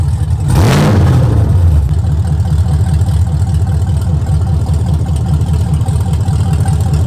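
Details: 2022 Chevrolet Camaro LT1 (6th gen) just fitted with BBK long-tube headers, needing a tune: V8 blips, then a lumpy idle with a fast, rough, knock-like rattle from a loose heat-shield clamp on the secondary cats.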